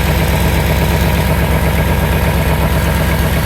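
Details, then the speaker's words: 1989 Bentley Mulsanne S at idle: loud low idle with a rhythmic chuff about once a second; exhaust manifold blow suspected, puffing felt near the manifold, louder under acceleration, exact source not yet found. "With the bonnet shut, you can just about hear the exhaust blow, but obviously when you put your foot down and pull away, you can hear it quite loud."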